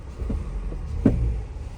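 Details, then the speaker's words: 2019–2024 Toyota Corolla at idle, brake held, shifted into Drive and Reverse with throttle taps: low engine rumble with dull thumps and a firmer clunk as the engine rocks on a bad transmission mount, causing vibration and jerking. "hold the brake down put in Drive tap it and then put in Reverse tap it there you go you can hear that clunking noise"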